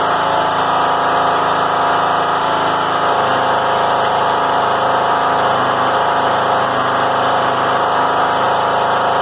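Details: John Deere L100 rider, Briggs & Stratton Intek 17 hp, before repair: loud fast steady roar staying high with slight wavering at low throttle; governor ruled out, bent governor spring holding idle high.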